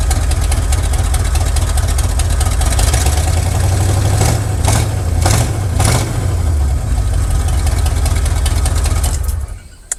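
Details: 1979 Chevrolet C10 Custom Deluxe V8 just started after a long spell of running badly, battery borrowed, cold: lumpy, uneven idle, stumbling and surging; misfire-type rough idle. Owner suspects timing; known big exhaust leak at the headers.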